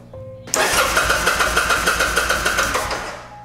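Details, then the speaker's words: Kawasaki Vulcan 800 Drifter (VN800E) with new ignitor, spark tester in line: steady starter cranking at about three even compression beats a second, not yet firing; spark now present, ignition module was the problem. "all right so that was it the problem was the ignition module let's see if the bike will start now that it has spark"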